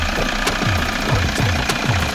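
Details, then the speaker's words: 2007 Toyota Hiace 2KD-FTV 2.5 diesel just started after refilling with Toyota Genuine oil, no check engine light: steady, even idle with a soft regular low clatter, no misses or rattles; normal healthy diesel idle. "Ayan, pakinggan natin ang tunog ng makina mga paps. Hindi ba ang tining?"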